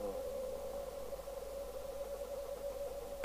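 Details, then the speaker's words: 1973 Pye Westminster W15AM all-transistor 5W AM radio receiving on 70.26 MHz, 4m band, after trimmer adjustment: steady hiss with faint constant tone, no warbling beat note; receiver is on frequency. "now it's on frequency if I go the other way we'll get a musical note again"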